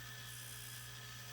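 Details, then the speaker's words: Hudy tire truer motor after the grinding pass on an RC tire finishes: steady unchanging high whine with no dips, motor back up to speed; running normally. "and once it finishes you'll see that the uh start motor starts to speed back up when you loose when you drive this in and lift it"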